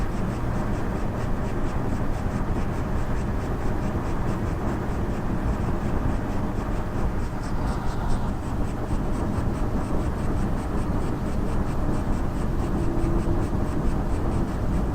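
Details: AMD RX Vega graphics card: steady low fan rush with fast, regular crunchy crackles, several per second, syncing with the card's LED tachometer; cause unknown, unlike usual coil whine.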